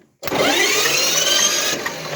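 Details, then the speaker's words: Shifeng Chinese mini tractor, no-start after winter storage, starter wired directly to power bypassing the switch: sudden strong, steady electric whir with no grinding or clicking; starter spins normally, pointing to the switch as the fault. "Як ви бачите він нас почав працювати значить причина поломка в даній в даному виключателі"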